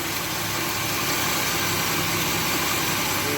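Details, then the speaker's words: 2007 Chevy Equinox after replacing the alternator, idler pulley and belt: even idle with no whine or bearing growl; the noise quit, confirming a bad bearing in the old alternator. "the noise quit so there's a bearing bad in that other alternator"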